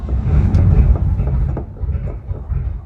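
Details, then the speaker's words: 1969 Chevy C10 V8 that sat 20 years. It has a rebuilt replacement carburetor, and timing and carb were adjusted after earlier stalling. It idles with a deep, steady rumble and no stumble or misfire, and sounds good now. "I got the engine dialed in, I think, with the correct timing and ignition timing and carburetor adjustment, I hope. We've had some trouble with it stalling and stuff, but it sounds good right now."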